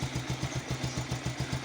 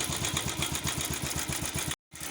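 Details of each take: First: Pulsar single-cylinder idling with quick, even firing pulses about seven per second and light top-end clatter; steady healthy idle, filmed in connection with a timing chain noise and oil pump problem. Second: Bajaj Pulsar motorcycle engine idling with a fast metallic clatter over the beat: timing chain noise caused by an oil pump problem.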